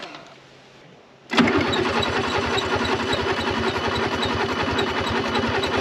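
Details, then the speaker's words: 1955 Renault 4CV, off the road since 1970, first start after freeing the locked engine, run on a little two-stroke fuel; catches and idles with a loping, uneven putter, rough running blamed on the carburetor, which badly needs replacing. "oh my goodness it needs a carburetor really really bad"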